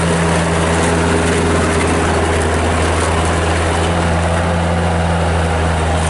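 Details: 1997 Bobcat 763 skid steer loader with Kubota diesel, 2,808 hours, Loegering tracks: deep, even diesel drone at steady low idle, no knocks or misses; healthy, smooth-running engine.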